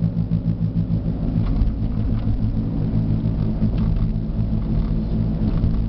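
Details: Jeep Liberty driving at road speed: deep, heavy growl throbbing steadily over tyre noise, felt through the steering wheel, changing when swaying side to side; badly worn right front wheel bearing.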